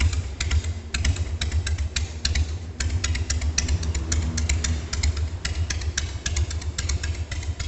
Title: Slow idle speed Harley-Davidson Sportster 1200S after Rebuild engine & Tune up #sportster #harley